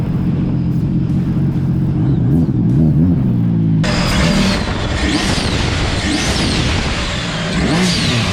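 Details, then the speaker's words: Sea-Doo RXT 260 after full overhaul (rebuilt supercharger, new motor mounts, carbon seal, bellow boot, blow-off valve, intercooler, flashed) on the water: strong, steady engine roar rising and easing with throttle, no knocks or misses; runs well, reading 77. "it sounds good she runs good too 77."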